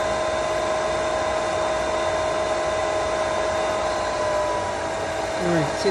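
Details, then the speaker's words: Pentair SuperFlo VS/VST variable-speed pool pump at startup: a loud, steady high-speed hum with a constant whine and airy rush as it primes before slowing to 3200 rpm for solar. Normal priming. "when we start this up it's going to get bit noisy it's going to first Prime on high speed and then it's gonna slow down so let's do this all right it's priming up that's perfectly normal takes a moment"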